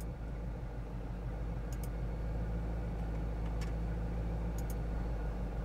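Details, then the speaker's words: Chevrolet Corvette V8 at idle, HP Tuners VCM Scanner disabling fuel injectors one at a time: slightly uneven loping beat from the cut cylinder, e.g. injector four cut sends O2 sensor lean; no change would flag the faulty cylinder. "you can just feel a miss to try to figure out what cylinder is the quickest way for me would be to have it idling like this and i'm going to disable the fuel injector for one cylinder at a time and see how the engine responds"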